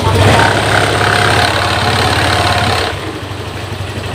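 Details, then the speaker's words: Honda Vario 150 injection scooter, previously using too much fuel and fouling plugs, after repair with TPS readings normal and engine at 42°C: it settles to a smooth, steady, even idle with no hunting. Normal idle. "teman-eman langsamnya dia enak terdengar enak ya terdengar enak ya teman-teman Berarti untuk motor ini sudah normal"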